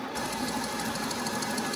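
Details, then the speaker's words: Old manual lathe converted from three-phase to single-phase 240V via a VFD, taking a heavy, deep cut on a big steel slug. Steady, even cutting hum whose motor pitch never sags; no bogging. "Now, we're into it. That's a healthy depth of cut right there. And it's not bogging at all."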